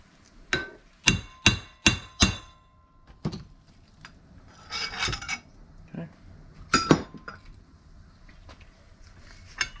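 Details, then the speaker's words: 2001 Honda CR250 swingarm rebuild, a bearing being driven in with a collar and hammer: sharp ringing blows, four quick strikes, then the pitch changes to show the bearing is fully seated. "Start beating it down. You can tell when it's all the way seated, you'll hear the sound change pitch when you hit it."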